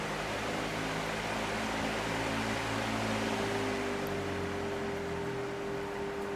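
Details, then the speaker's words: Fan on a cheap triac speed controller set to full power, triac out of circuit: steady airy fan rush with a low mains hum and none of the harsh buzz heard at lower speeds. "you can hear the buzzing which is the triac basically sending out square waves into the power supply and it makes that noise up until the time when it's on full and the triac is basically out of circuit like now"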